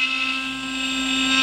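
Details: CNC router back up and running, finishing or cutting-out pass after about 1 h 35 min finishing cut. Steady high spindle whine, even cutting tone, no chatter, rattle or rough bearing noise; cutting normally.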